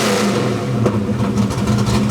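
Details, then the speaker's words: Fox-body Ford V8 during idle tuning settles back to idle with an even, steady burble and no stumble; added ignition timing in the decel region slows the idle drop so it lands more cleanly. "See how the idle slows down a little bit in its descent? So, it slows the idle drop and it makes it a bit cleaner as it drops in."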